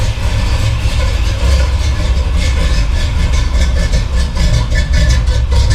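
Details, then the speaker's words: Chevy big-block V8 after a new radiator and hoses were fitted and air bled. Warming at about 165° with the thermostat opening; deep, even idle rumble with no knocks or misses. Later held 162–180°. Normal idle. "Sounds good. About 165, it's getting there. Oh man, I love that sound."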